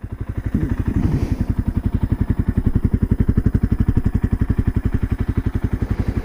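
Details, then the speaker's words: 1978 Kawasaki KL250 single after a top-end rebuild with lapped valves, on its break-in ride on a warm day: even, steady idle thump about four beats a second, no ticking, no leaks or smoke; normal idle. "She's just purring like a kitten. I don't see any oil leaks. The engine sounds really good and smooth."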